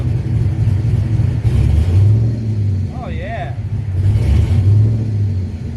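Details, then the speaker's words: Chevrolet Blazer V8, warmed up, with a setting just raised to 15. It idles deep and steady and picks up cleanly on the throttle without bogging; revving is smoother than before, though not perfect, and it runs healthy. "Now I can gradually kind of push the throttle and it revs up."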